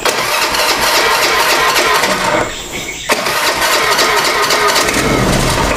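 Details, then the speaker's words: Small motorcycle engine after kick and hand starting: it runs rough, drops out and catches unevenly, still hard to start after the tight valve clearance was adjusted; compression is now building. "nah hidup masih agak susah hidup tapi brebet ini motornya"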